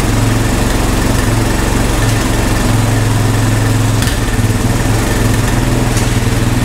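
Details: Honda ATV found at a yard sale, revived with no parts after checking spark and compression and adding fuel; owner thinks idle may be set a little low: quick, even single-cylinder putter at steady pitch, no misses or stumbles; clean, healthy idle.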